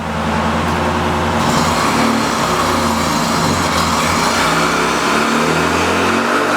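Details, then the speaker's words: Neglected 1600 dual-port air-cooled VW Beetle engine on a water-brake dyno, not revved hard in years: even full-throttle roar with no knocks, misses or rattles, smoking less than before; healthy engine. "it hadn't been revved like that for a long time I mean it's it sounds good"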